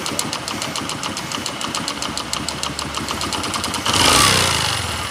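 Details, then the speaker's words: Platina motorcycle engine in bad condition: loose, irregular tapping rattles through idle at about two or three per second, then a rev drowns it; engine knocking, internal fault unknown. "कि अ वसूली space गाड़ी के engine की हालत खराब है"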